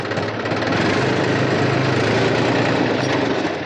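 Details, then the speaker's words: New Holland Farmer 35 tractor, oil brakes formerly noisy from degraded, low oil, after Atlantis UTTO oil refill: steady engine drone through braking in reverse, no squeal or grinding; brakes quiet. "बिल्कुल भी आवाज नहीं है अब इसको हम reverse में भी ब्रेक लगाएंगे बिल्कुल भी आवाज नहीं है अब हम इसको आगे मैं ब्रेक लगाएंगे"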